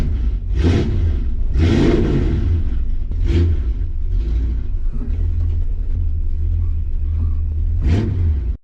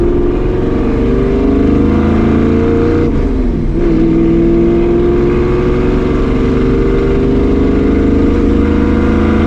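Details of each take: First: 1965 Ford Mustang 302 V8 with headers, blipped: deep rumble with rough puffing edge from an exhaust leak at the driver-side header gasket, which had leaked since refitting after a steering box replacement; gasket to be replaced. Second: 1965 Ford Mustang 302 V8 on test drive after replacing the driver-side header gasket to fix an exhaust leak: smooth, steady deep exhaust note, no ticking, popping or backfiring; leak fixed, running clean.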